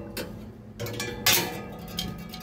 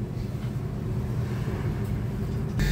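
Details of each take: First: Three-door chiller: running fan gives sharp, uneven ticks and scrapes as the blades sit too close and catch on something; fan gap needs adjusting, rodent debris found inside. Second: Three-door chiller after removing a dead rat that was jamming the fan: steady, even low hum of the fan running smoothly, with no rubbing, ticking or rattling.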